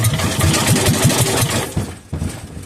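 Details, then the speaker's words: Kohler K241 engine that sat for years, cranked on the bench with fuel squirted directly into the cylinder: several heavy uneven thumps as it catches briefly, then it fades and stalls; the starter groans while cranking. "she tried let's try [Music] again she's trying ooh that starter is groaning well clearly we know that she'll run"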